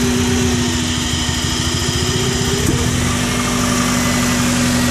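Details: Subaru Impreza misfiring at idle: uneven thumping with a stumbling low pulse and irregular beat, typical cylinder-misfire shake; owner suspects ignition coils or MAF sensor, unconfirmed.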